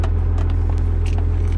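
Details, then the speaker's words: 1996 Cummins 12-valve farm truck with compound turbos, 153,000 miles, not driven in a long time, at idle: scattered light metallic rattles over a deep diesel idle. Shifter rattles; something is likely broken inside it. "got some annoying things like this thing always pops off the shifter always rattles"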